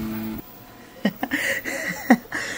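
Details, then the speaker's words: Creality K1 Max 3D printer, first-layer adhesion test: uneven motor whir bursts at one corner and the back corner, head vibrating, ringing visible in print; owner suspects a poor-quality motor at the back. "listen like right here at that that corner and the back corner you keep hearing these like like that right it keeps vibrating so"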